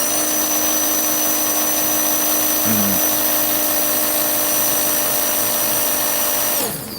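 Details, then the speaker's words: Slot car motor after racing, checked the next day, now at about 3.8-3.9 instead of faster: steady high whine that winds down, pitch lower than it should be; slow motor speed. "his car was even faster, but I noticed it has slowed down. It's like a 3.8, 3.9 now. And you can hear it just doesn't sound as fast."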